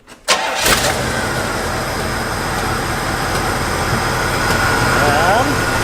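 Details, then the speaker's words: 1972 Pontiac Catalina four-door that sat for years. The engine cranks, catches and settles into a steady, even idle with no stumble or vibration. An exhaust leak remains, possibly from a crack rather than the manifolds. "and I think I just fixed it there's no more vibrating and the exhaust leak may not be the manifolds it might be that cracked Wii"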